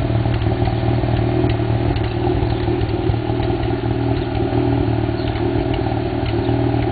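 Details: 1991 Mazda RX-7 (S5) NA street-port rotary with headers and possibly Racing Beat cat-back: lumpy idle with irregular sharp exhaust pops and crackles, about four a second; afterburn at idle, owner doubts vacuum leak.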